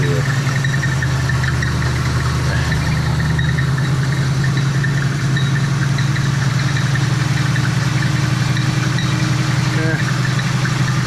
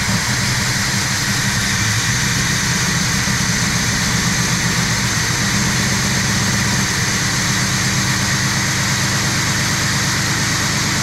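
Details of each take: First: Old Oldsmobile V8 on its own fuel tank with radiator in, transmission not hooked up, in a cold shop, warming until the thermostat opens: deep, steady idle with an even low rumble, no knocks or misses; sounds good. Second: Old Oldsmobile V8 just restarted on its own fuel tank with the fuel pump and old gas, choke left closed, shop door shut: uneven loping idle with a rhythmic exhaust sway; running rich, later found to be choking itself out.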